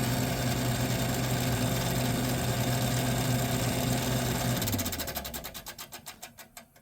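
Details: 1978 Gibson Air Sweep 5900 BTU air conditioner: steady hum, then a rhythmic ticking of about three to four per second during spin-down that slows with the blades; fan rubbing suspected, with condenser fan balance also in question.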